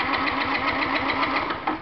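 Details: Fuel-injected Yamaha C3 scooter in no-start diagnosis with a scope on injector pulse: engine runs briefly with rapid, uneven firing, then fades and stalls; the cause was found to be water in the gas tank.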